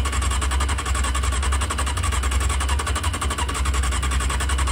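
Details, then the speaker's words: Honda CBR600F2 after carburetor removal, O-ring replacement and reinstall, carbs empty and vacuum-fed: fast even starter churn, no firing yet; normal cranking before first start while carbs fill. "so when we crank it the fuel is going to start to get into the carbs as soon as it finds itself into the engine gets a spark we should have ignition"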